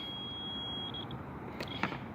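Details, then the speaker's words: 1994 Toyota Camry, no spark, 30A fuse blowing at key-on: meter gives steady unbroken beep across radio suppression condenser from distributor, which was oozing; dead short inside it, cause of blown fuse. "And you can see how it was oozing, bubbling it out. And I noticed that also when I was placing the coil, but you know, didn't replace it. But so I pulled it out this time, and you can check. Listen to that beat. It's got a dead short."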